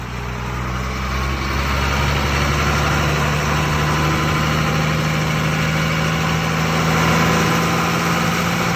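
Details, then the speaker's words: Refabricated Ashok Leyland BS3 truck with H-series diesel engine: loud, even diesel clatter with a low drone climbing slightly as RPM rises, steady and free of knocks; healthy engine. "इस तरह की आवाज़ BS3 के H series engine Ashok Leyland से आ रही है।"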